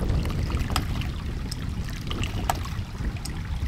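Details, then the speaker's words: Land To House 1-inch hydraulic ram pump, about 5.5 ft drop lifting water about 35 ft, delivery pipe filling uphill: sharp clacks about every three-quarters of a second over rushing water; waste valve starts cycling on its own, though it may still stop. "So, okay, we're starting to get some action on its own here. It may still stop."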